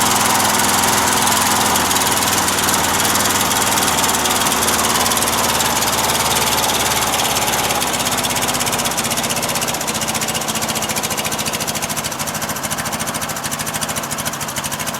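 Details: Briggs & Stratton opposed-twin engine with Nikki carburetor runs rough on choke, an uneven lumpy beat near 160 a minute with rattly top end; runs too rich, gas shooting out; owner suspects wrong float levels or worn gaskets; fuel pump leaking.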